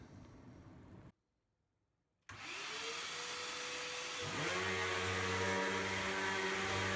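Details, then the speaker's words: Hoover vacuum run in the room after its beater bar belt was replaced; the old belt had been dimpled when carpet jammed the bar. Motor spins up into a steady, even hum with the brush turning smoothly. Normal running. "We're going to run it here in the room, make sure everything's cool, and we'll close with that."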